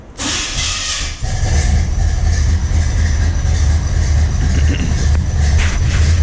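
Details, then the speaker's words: 1984 short-bed truck with a turbo 375 transmission and 2400 stall, started after sitting: starter cranks about a second, then the engine settles into a steady, even low rumble with no misses or knocks; runs pretty good. "runs pretty good"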